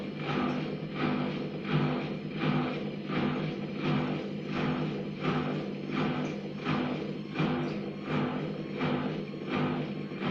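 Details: Gorenje WA50060 washing machine, recorded 2017: after the pump finishes draining, rhythmic whooshing throb about 83 a minute over a low hum; absent during washing or spinning, cause unknown to owner.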